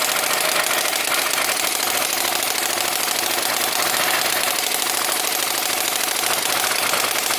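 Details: Small Whippet flathead model engine with CDI ignition and water pump, running fast and even with a bright, rattly buzz and a faint pump whir underneath; runs steadily and healthily.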